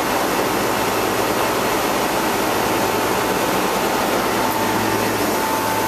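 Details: Commissioning of a replacement two-speed (2/4 pole) Bristol compressor on a condensing unit, after a condenser leak repair, new suction line and blocked drier: steady airy fan roar with an even low hum; runs normally.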